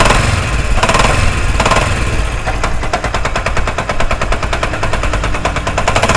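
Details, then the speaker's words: Idling single-cylinder motorcycle engine with fast, heavy metallic clatter; a mechanic blamed the connecting rod and wanted a full engine opening, but it sounds like a rattling loose clutch hub nut. "तो दोस्तों आपने आवाज़ सुनी, आवाज़ कितनी ख़तरनाक है। आप देख सकते हैं कि बाइक का ऐसा लगता है सारा इंजन ही ख़त्म हो चुका है।"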